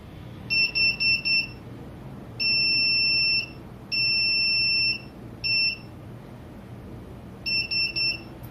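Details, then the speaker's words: Model rocket tilt-sensing controller (RockeTiltometer 2) at power-on: four quick high chirps, then longer steady beeps, warning that the data card is out (bypass set) in case that was inadvertent; blue LEDs also indicate card out. "so that sequence again was those four quick tones at the beginning were to remind you that you have your card out in case that's not what you intended to do"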